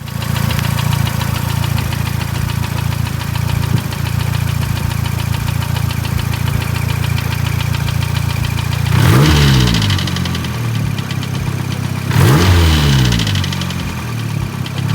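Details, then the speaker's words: Built Mazdaspeed3 with brand-new rebuilt engine idling with steady knock about four per second, briefly revved twice; valve cover, exhaust and wastegate checked with nothing loose; owner suspects rod knock, not confirmed. "So yeah, I'm like fucking freaking out. I'm like, great, now I got knock. Why the fuck do I have knock?"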